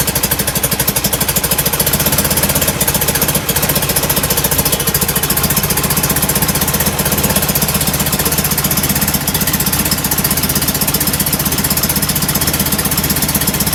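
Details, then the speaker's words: Enlarged performance VW air-cooled carbureted engine with larger air filters: lumpy, loping idle with uneven exhaust puffing; mixture running rich, likely from oversized idle jets, as before the rebuild. "all right run rich yeah i was running rich when it came in i would thought that making the motor bigger would have uh brought the carburetors around"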